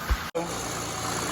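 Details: Saturn Vue Redline that arrived smoking and 1 to 1.5 quarts low on oil, during a water pump and timing belt job: steady, even idle with a smooth low hum and no knocks or ticks after a brief dropout; sounds healthy.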